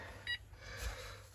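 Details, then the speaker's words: Texecom Veritas alarm keypad refuses to arm: short single beeps about a second apart, the code for zone 1 open. "I'm getting a single beep because zone 1 is open."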